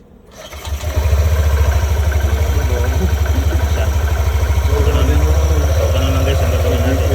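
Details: Yamaha Nmax turbo (TechMax) with YECVT, after sensor action test and clearing DTCs again: engine catches within a second and settles into a steady, even single-cylinder idle at about three beats a second.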